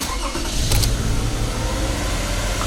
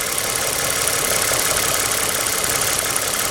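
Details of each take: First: 2007 Toyota Sienna 2GR-FE V6, after spark plug work for a P0303 cylinder 3 misfire code, code erased: engine catches into a fast, lumpy idle with uneven beat, high idle after reassembly; still misfiring, no codes yet, cause unknown. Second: 2007 Toyota Sienna 2GR-FE V6 after misfire repair, warm idle a few minutes after start: even, steady idle with no stumble or hunting, smooth hum and light hiss. Normal idle after repair.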